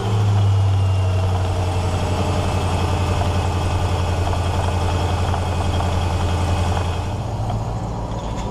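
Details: Land Rover Discovery II after replacing a bad secondary air injection pump (codes P1412, P1415) with a good used unit: steady even idle, smooth low hum, no knocks; engine and secondary air pump running normally.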